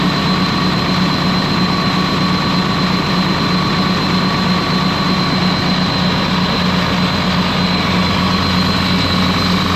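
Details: Ex-US Army Cat D6R bulldozer diesel, 822 hours, valve cover loose, oil coming from cylinders where injectors dropped: uneven, lumpy beat about once a second under the drone; misfiring, cylinder cut-out shows number 6 not reacting.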